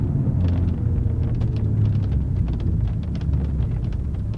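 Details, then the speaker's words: BMW M3 at 22 mph on flat pavement, lapel mic near the door pillar: irregular small creaks and ticks over road rumble; owner suspects door molding rubbing the door jamb, rubber on rubber, not confirmed. "So I think I nailed it with where I put the lapel, because it definitely is coming from what sounds the pillars. And you know, the suggestion is that it is the molding that's rubbing against the door jamb."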